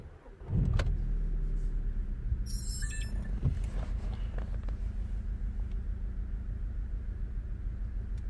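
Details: 2010 VW Golf GTI, engine light flashing and EPC light sometimes on: engine fires and settles into a low, lumpy idle with uneven pulses instead of a smooth beat, misfiring.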